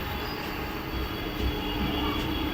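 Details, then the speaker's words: Okinawa Praise Pro EV scooter hub motor after bearing repair, previously noisy and sticking: steady even whir with faint high ring, no grinding; runs smoothly, slight vibration from a slightly bent axle. "Running smooth हो रहा है थोड़ा सा vibration आएगा थोड़ा सा out तो घूमेगा"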